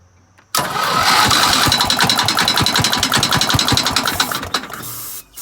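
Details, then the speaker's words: 1975 Gravely 816S tractor after starter swapped from parts engine, head cleaned of carbon, head bolts tightened, started on ether: runs with loud metallic clank about three to four times a second; owner fears rod, cause unknown. "What the heck is clanking, MAN? GOT A CLANKER. CLANKER, CLANKER. I DON'T know what that clank is, but that ain't cool, man."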